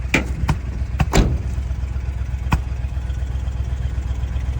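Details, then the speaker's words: 1979 Dodge Ramcharger after 15+ years sitting, started on a cold day with mechanical fuel pump primed: low rumbling quiet idle broken by sharp irregular pops about one a second; intermittent backfire, cause unknown, owner suspects a misfire. "interesting the motor's quiet though very quiet not sure why it's backf"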